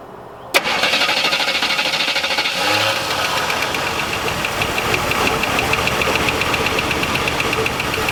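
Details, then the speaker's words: 1978 Oldsmobile Cutlass sitting since 2005, first start on new fuel pump with gas poured down the intake; quiet idle with a fast light tick keeping pace with the engine, fading as it runs, thin oil; lifter tick. "now I do hear a lifer tick here other than that it's pretty quiet unbelievable"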